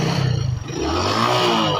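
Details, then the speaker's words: Hero Passion Pro Max motorcycle after clearing dirt from the carburetor, which had made it stall and die: it picks up cleanly from idle and revs smoothly with no misses or sputter; normal idle and revving. "चलिए दोस्तों, इसमें जो भी problem था दोस्तों, carburettor में कचरा हो जाने के कारण से गाड़ी बैठ रही थी, दुका रही थी।"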